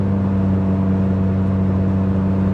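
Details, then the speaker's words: Cheap Ford Probe at steady highway speed on a long Indiana-to-Oklahoma drive, recorded in the cabin: a constant, loud, low booming hum that never changes pitch. Loud exhaust drone. "yeah listening to that gets really really really old"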